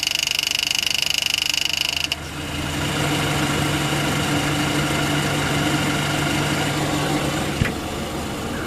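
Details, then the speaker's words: 2008 Ford Fusion with the engine running and AC on: busy, fast rattling clatter as the belt tensioner chatters through its full travel, maxing out constantly under AC load and floating too much without load. "so you can see when the AC's on that thing's just chattering full full length the full uh length of it of its drive on there"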